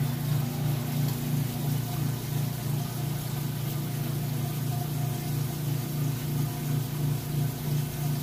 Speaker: and it is now draining out water there you can hear that